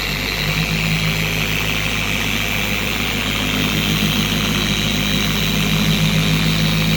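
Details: Four-year-old Carbon Collective DA polisher on a higher speed setting after its gear-head grease was replaced with red lithium grease: smooth, even whir with a steady low drone, no screaming or rocking; normal running at high speed.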